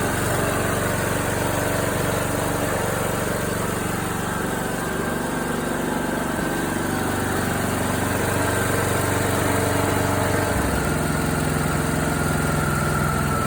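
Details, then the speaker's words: John Deere D105 with Briggs & Stratton Intek 17.5HP engine that seized from lack of oil while mowing, restarted after oil circulated and new Champion RC12YC plug: steady, even single-cylinder beat with no knocks or misses; sounds okay, long-term survival uncertain. "Yeah, I don't know. I don't It sounds okay. It's running."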